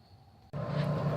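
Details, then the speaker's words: Belt-driven furnace blower fan after replacing worn, squeaking bearings: quiet at first, then it kicks on with a steady, smooth low hum and airflow rush and no squeak; much quieter than before, fixed. "we go it's turning it's much more quiet way better than it was I'd say we have a fix"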